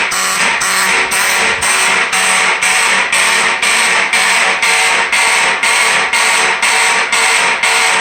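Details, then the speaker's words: Electromechanical fire alarm horn (Edwards 276B) on code 3: evenly spaced blasts, about two a second, with a harsh buzzing rasp; owner believes the horn mechanism needs adjustment. "so holy noise yeah this literally this sounds god-awful yeah yeah i still gotta probably adjust the i gotta adjust these things hopefully so i think that's the only way with these electromechanical horns they sound raspy"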